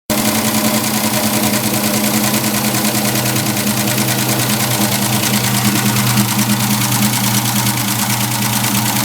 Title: Clicking/ticking noise. What is it?